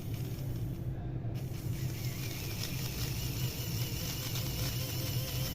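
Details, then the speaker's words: Small DC motor driven by an Arduino Uno at the same duty cycle, with PWM at 5 Hz instead of 490 Hz: buzzing and stuttering, jerky instead of smooth; PWM switching frequency set too low. "लेकिन दूसरे प्रदर्शन में इसमें झटकेदार गति आ गई, यह सुचारू नहीं थी। ऐसा सिर्फ एक PWM सेटिंग के कारण हो रहा है"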